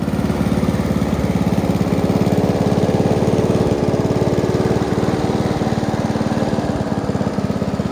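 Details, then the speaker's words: Free Honda walk-behind mower fitted with slightly smaller replacement wheels, oil change and plug clean still due: small single-cylinder popping steadily at about three to four pulses a second, no stumbles; runs alright. "This thing runs alright, not bad for a freebie."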